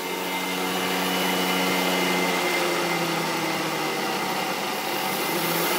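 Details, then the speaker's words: 2HP DC treadmill motor (up to about 5000 rpm) replacing the failed 1HP J-head motor on a Bridgeport mill, unloaded and never used for cutting; cooling fan draws air through the vents. Smooth, steady high whine rising with speed, no grinding or knocking, healthy. "so i flip that switch on it'll start drawing air up through the fan uh my vents are right here to blow the air out the hot air out"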